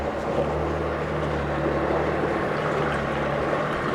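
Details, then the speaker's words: 2014 Evinrude E-TEC 65hp two-stroke 20-inch outboard, freshwater motor, new impeller, gear lube, cleaned fuel system: system-check beep, then steady even idle burble with no knocks or misses while warming up; healthy motor. "You'll hear the beep because it's doing the check system. If the beep doesn't go off, shut your motor off. Let it warm up here for a minute."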